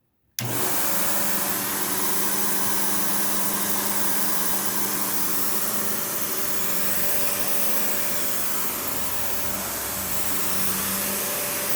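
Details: Panasonic upright, one of the last sold in the US, base plate refitted, bare-floor switch, auto height adjustment, brush roll auto-stops when upright: steady even high-pitched motor roar, constant tone, no rattles or flapping; running healthy.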